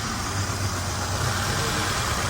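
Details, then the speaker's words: Nissan Altima four-cylinder with the check engine light on (not flashing) idles roughly with an uneven, stumbling misfire; a cylinder drop test was run, with the misfire blamed on a leaking valve cover gasket. "Got a Altima misfire. Check engine light's on. It's not flashing for some reason. It sounds terrible."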